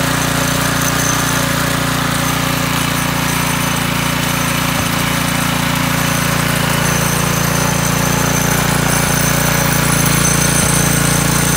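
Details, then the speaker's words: McClane 3.5 hp edger with Briggs and Stratton single-cylinder engine, revived after years sitting, at fast throttle: steady fast buzzing drone, no misses or surging; runs normally. "awesome so it runs um"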